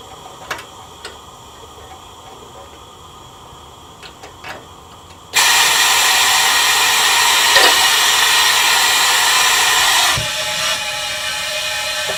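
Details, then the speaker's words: LSR UV spot repair packer in 6-inch pipe after five-minute UV cure, air off and vacuum line opened (about 25 psi regulated), deflating within a minute or two; sudden loud hiss fading to softer rush: normal vacuum deflation. "the vacuum line runs around 25 psi regulated pressure and you're gonna within a minute or two you suck out all the air inside"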